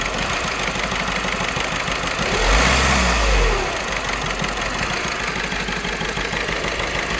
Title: 1.6 CAYC Misfire